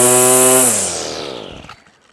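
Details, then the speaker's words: Hitachi B230 two-stroke line trimmer, warmed up, with cheapest Amazon carburetor fitted, no tuning needed: high buzz revs cleanly at full throttle then winds down smoothly, no stutter or misfire; starts, runs and cuts normally after repair. "eight pound um carburetor off of Amazon the cheapest one I could buy and it runs it starts Cuts does everything it should do"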